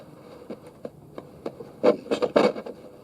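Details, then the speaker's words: Roberts RT22 vintage transistor radio on VHF, aerial down, volume up: irregular scratchy crackles and rasping bursts as the dial moves, from a dirty, worn polyvaricon tuning capacitor inside. "Little bit scratchy on the tuning capacitor inside, which is a polyvaricon."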